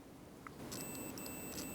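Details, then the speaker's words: DCC model locomotive motor continuity test, meter lead on bare frame and a motor clip: a steady continuity beep as resistance drops below 1–1.5 toward 0 ohms, showing the motor brush contact is shorted to the frame and not isolated. "So you can hear that little whine telling you that there is continuity, and you can see that the resistance is dropping down below 1, 1.5, and heading for 0. That indicates that the brush contact on this motor is physically and electrically connected to the frame itself."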